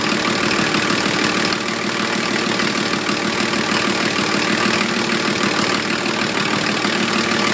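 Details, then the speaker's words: 1980 International Scout II with factory Nissan SD33T turbo diesel, first run after rebuild, cold, idling high and settling: loud clattering idle, even beat about two per second; louder than others, owner unsure if cam-related. "so uh that's what it sounds like it's pretty loud compared to some of the others that I've Just Seen on on YouTube"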